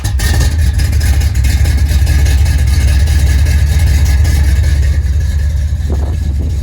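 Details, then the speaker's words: 1977 Dodge D200, freshly rebuilt 360 V8 with RV cam, long-tube headers into newly fitted chambered mufflers, exhaust mocked up; deep, even, mellow rumble, steady beat, no knocks or rattles; went from crazy loud to nice mellow: normal V8 exhaust note. "that is what she sounds like. So now we went from a crazy loud 360 to a nice mellow 360. Sounds really good."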